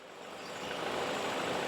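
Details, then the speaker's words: 2013 Ford Fusion in reverse with light brake-torque throttle after removing a rock that caused a rattle: even smooth engine hum building slightly, no rattle, normal. "okay you don't hear nothing in there okay that rock was our problem"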